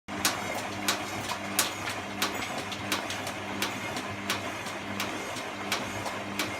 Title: Clicking noise